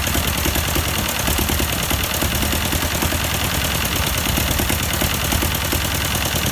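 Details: 1952 Ford 8N tractor, unrun for years: four-cylinder runs rough with a regular skip in its chuffing beat; plug change helped little, owner suspected carburetor, but one cylinder was dead from exhaust valve stuck open.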